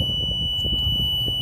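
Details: Nissan with code E-24, key on engine off: constant high-pitched warning buzzer over low room noise; accelerator pedal sensor signals read 0.2 and 0.1 V against specs of 0.6 and 0.3 V.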